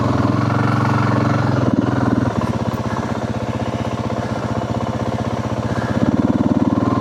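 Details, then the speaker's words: 2025 Yamaha WR450F single-cylinder dirt bike on a trail after a fall: low, labored chugging around four beats a second, sagging and uneven under load; the motor is bogging and struggling for power, cause not yet known. "If you listen closely, you can hear the motorcycle struggling for power."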